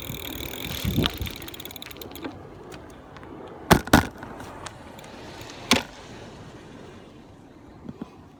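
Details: Brand-new Buzz Charter F e-bike, first pedaling: loud, frequent, irregular metallic knocks from the rear hub motor over light road noise, like metal parts colliding inside the motor.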